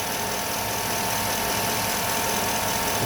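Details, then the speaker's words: 2007 Chevy Avalanche with 5.3L Vortec V8 (AFM), 124k miles, at normal operating temperature in 30°F weather: a loud steady idle with a faint, constant thin squeal on top. The owner fears the camshaft; the source is unknown. "my concern is you listen closely I always heard like a squeaking like please don't be the camshaft please don't be the camshaft"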